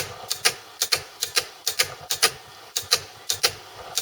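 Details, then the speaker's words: 8-track player, track change button pressed: solenoid pulls armature onto pawl, stepping the heads through 4 heights; crisp paired clicks, no grinding or buzz; normal operation. "If I press the track change button, it pulls an armature, which then goes onto this little cog or pawl, which sets the height, and the heads are just here."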